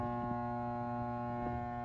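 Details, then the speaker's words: Red Lion RL-SWJ50 1/2 HP water pump, stored unplugged over winter in basement: steady mains hum with no spin-up; motor energised but won't turn, starting capacitor suspected, not confirmed. "Uh so yeah, it's just the motor doesn't spin. One of the things to check for is the capacitor."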